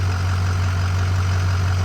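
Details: 2005 Ford F250 6.0 Powerstroke diesel idling after a crank-no-start fix with the injector clip reseated and fuel system primed: steady, even low rumble, no misses or knocks. Normal idle.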